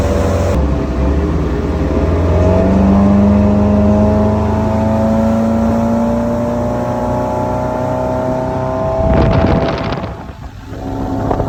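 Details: 1995 Larson 174 with 3.0 MerCruiser Alpha One Gen 2, run after sitting 3 years: steady drone with smooth rising pitch as it pulls, no misses or knocks; normal running under way.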